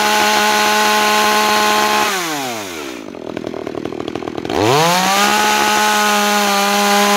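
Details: New Makita EA3200S chainsaw during break-in: steady high-revving scream drops to low idle, then snaps cleanly back to full revs; smooth, even, healthy.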